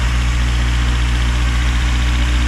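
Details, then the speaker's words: K24A-swapped EM2 Civic coupe, cold idle right after first start with new Drag Cartel drop-in cams and valve lash adjustment: deep, steady low idle with even lumpy pulse, no knocks or ticks; needs to warm up, beefier tone. "Yeah, it needs to warm up."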